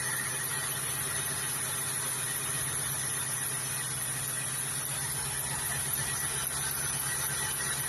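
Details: Rover ZT 260 at idle: steady high-pitched squeal over an even idle, unchanged through the clip; source not pinned down.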